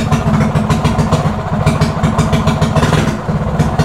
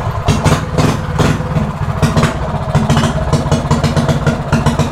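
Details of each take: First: Mini bike with quarter-turn race throttle: fast, busy single-cylinder putter that stays high without throttle; high idle traced to the throttle cable and idle screw, not the carburetor, fixed by turning the screw in. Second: Stock single-cylinder mini bike with quarter-turn race throttle, after carburetor idle screw reset; small single thumps along at a steady settled idle, no stumbling, much better than before; normal idle.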